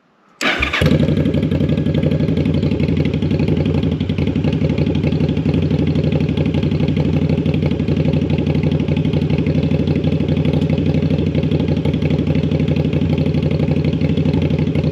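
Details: Jocker bobber twin-cylinder motorcycle with new Cobra exhaust, warm, just after carburetor synchronization: fires up and settles into an even, steady twin idle with no hunting, stumbling or misfire; carbs balanced.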